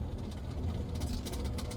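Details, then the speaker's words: Ford F-150 3.5L EcoBoost V6 with 6-inch lift and 35-inch tires rolling slowly: light rapid flicking tick over the low rumble; zip tie pranked onto the driveshaft slapping as it spins. "So, I'm turning back around and I'm going to pull up so Cory can snip the drive shaft off, uh, the the zip tie off the drive shaft."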